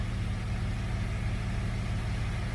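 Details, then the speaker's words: Jeep after a bolt holding the cylinder #3 intake valve open was removed from the intake: low, even idle rumble with a steady beat and no misses, knocks or ticks. Normal idle, about 750 rpm. "Listen to this Jeep. Sounds so good. Sounds so good."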